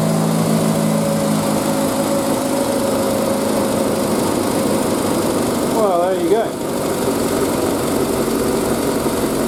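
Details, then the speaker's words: Triumph Spitfire first start after 3–4 months standing, battery charge unknown, choke fully out, in neutral: prompt start into a steady even fast idle with no knocks or misses; normal cold idle on choke. "So, choke all the way out, neutral, contact."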